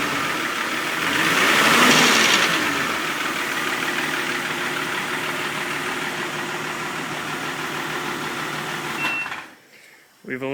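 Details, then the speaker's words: 2000 Jeep Cherokee Limited 4.0, used replacement engine with new rockers, springs, pushrods and gaskets: at startup a busy metallic rattle that grows with revs, judged top end; owner suspects collapsed lifters, not confirmed; top-end rattle. "here's a start up and let you sound hear what it sounds like when you rev it up it actually rattles even more"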